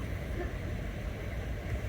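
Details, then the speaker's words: Lincoln Aviator after IAC valve cleaning, idling in gear with air conditioning engaged: low, steady rumble; rpm dips as the compressor kicks in, then recovers. Normal idle with AC on. "we're going to engage air conditioning it shouldn't move at all Maybe by like 50 RPMs see that's the compressor went back up that's"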